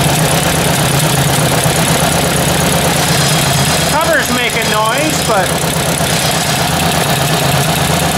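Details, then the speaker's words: Ford 800 tractor at steady idle: light, quick tapping over the engine, quiet up front and louder toward the back, and clearly heard as it shuts off. Engine ticking at idle, cause not pinned down. "definitely something ticking oh that's weird you really hear it when it shuts off there"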